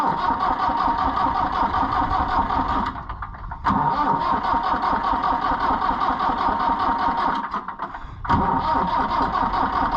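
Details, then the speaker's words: International IH 584 diesel tractor that would not start: long steady cranking, pausing twice, never fires; fuel not primed after clearing the fuel line; crank, no start. "I think it'll go it's just it's going to take some cranking since we don't have a primer that we can help it along with"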